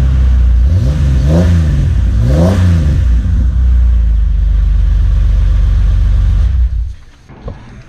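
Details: 2005 Jeep Wrangler Unlimited after installing a Magnaflow Off-Road Pro Series cat-back exhaust (part 17121): two clean rising and falling blips, then a steady deep drone before shutdown; no rattles, no leaks, normal revving.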